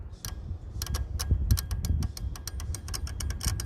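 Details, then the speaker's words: Van with no coil light on dash: relay bridged with a wire to ground, giving a run of sharp irregular clicks; relay pulling in and working normally. "And then, hopefully, if you can hear when I ground it, you can hear the relay clicks."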